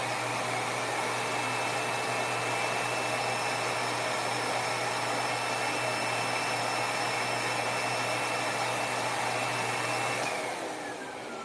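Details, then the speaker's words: Monroe vacuum motor tested after a no-power complaint, switched on directly; steady, even high motor whine at constant speed, no grinding, sparks or smell, then winding down when switched off; motor healthy. "All right. Sounds healthy. Don't smell anything. I don't see any sparks."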